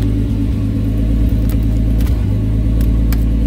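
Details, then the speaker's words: Nissan R33 Skyline GTS-T after cleaning a carbon-gunked idle air control valve, previously idling 300 rpm low with AFRs above 16: now steady, even idle with no hunting or dips, issue fixed. "yeah man she uh she's she's idling yes come back down come back down everything good oh we fixed her boys"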